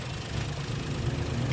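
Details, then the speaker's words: 2018 Suzuki Cultus with an ECM repair for a cylinder 2 ignition coil that burned after 5–10 km: even, low rumbling idle with no misses or knocks, the cylinder 2 coil working correctly. Normal idle after repair. "दो number भी कोयल काम कर रही है सही तरीके से"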